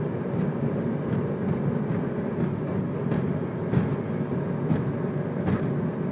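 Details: 2002 Ford Focus while driving: road rumble with sharp clunks at irregular intervals, several over six seconds, from the driver's side front; cause found to be a bottomed-out coilover, since fixed.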